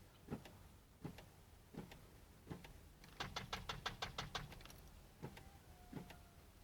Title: 2006 dodge 3500 weird knock wont start?